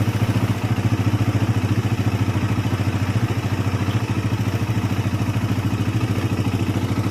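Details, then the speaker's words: Suzuki Satria FU motorcycle idling roughly with a dry metallic clatter over the engine thump, from the left block area; suspected worn timing chain and tensioner converted from automatic to manual adjustment. "Satri FU with the condition of the engine sound rough, well, this is for the rough sound part, it is in the block area on the left, it is possible that the temporary analysis comes from the sound of the tensioner chain."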